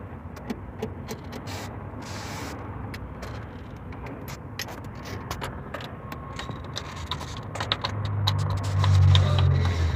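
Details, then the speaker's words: Engine with timing chain noise (engineer says the tensioner does not hold pressure): quick metallic ticking and rattling, about four per second, over a low idle; slack timing chain from faulty tensioner. "no está bien el máster porque tenemos un problema con el sonido de la cadena de este motor Emi nos comenta el Inge que bueno ya vieron el principio del video que no no retiene presión"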